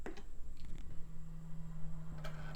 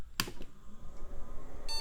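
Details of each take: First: Motherboard salvaged from e-waste, test-booted with a makeshift cooler and DOS boot disk: one short steady beep over quiet room hum, the normal POST all-clear before booting. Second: Early-2000s salvaged e-waste PC, after cleaning SIMM RAM contacts and applying DeoxIT to slots; single POST beep, then faint room noise and no video; suspected graphics card fault, later cured by DeoxIT on the PCI slot.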